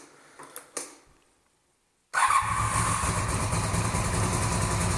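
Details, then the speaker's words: 1982-83 Honda V45 Sabre V4 café racer, cold start with choke after fixing float bowls set far too high and refitting carbs, fuel screws at 2 3/4 turns: faint clicks, then fires at once into a steady, lively idle, sounding quite different, no stumbling. "yeah, that sounds quite a bit different. That's already, this cylinder is definitely running."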